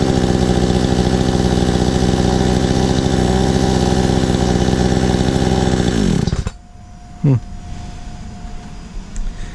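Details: Stark Chinese chainsaw after ignition coil replacement: fast, even two-stroke putter holds steady six seconds, then engine shut off and winds down; idles cleanly.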